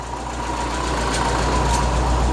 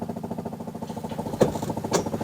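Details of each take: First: Classic VW Beetle with added electric A/C, idle raised to keep battery voltage up: steady, even idle with smooth regular beat, no knocks or misses; normal. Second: Classic VW Beetle electric fuel pump, heard with engine started cold during electric A/C install: loud, fast, even ticking buzz of about twenty pulses a second; owner plans to replace pump as too noisy.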